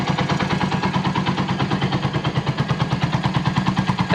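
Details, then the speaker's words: Volty motorcycle after long storage, with a new battery and fuel turned back on: the single-cylinder idles with steady, even pulses around three a second and no misses or knocks. Normal idle; it started perfectly. "Well it turns on perfectly despite the time that has passed, the idle is fine,"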